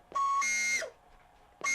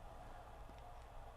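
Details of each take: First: 1996 Sony CFS-B11 boom box cassette: three bursts of piercing, steady high squeal on pressing play, dropping in pitch as the motor stops; motor suspected of squealing; belts replaced and motor lubed. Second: Sony CFS-B11 boom box (1996) that squealed on play, cassette capstan motor on 9 V DC after bushing oiling; a faint, even hum with no squeal or chirp, running smooth and quiet.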